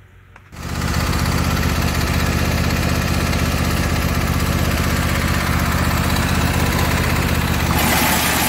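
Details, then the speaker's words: Husqvarna YTH22V46 lawn tractor running after the hitch clip was replaced; loud rattling racket from underneath at about four beats a second, caused by wood jammed in the transaxle pulley. "all right so the clip needed to be replaced but we still have a lot of racket coming from underneath"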